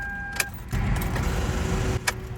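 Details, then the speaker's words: Toyota that won't crank: key turned, a single sharp click and another moment later, no cranking; the battery is too weak to spin the starter, and a new battery fixed it. "You hear that? It almost sounds like the starter is trying to turn the engine, but there's not enough juice in the battery. Yeah, it seems to me like the battery might just be low."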